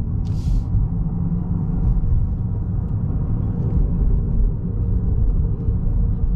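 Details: 2014 Ford Fusion hybrid while driving: loud steady low front rumble; wheel bearings and CV joints checked OK, the dealer diagnosed an internal transmission problem.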